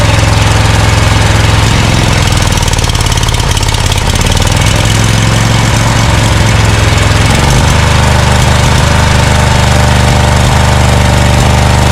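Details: Scag Cheetah mower with Briggs & Stratton Intek V-twin from a Craftsman: loud, lumpy, stumbling idle as one cylinder misfires; dirt in intake, left carburetor side suspected; spraying cleaner there helps.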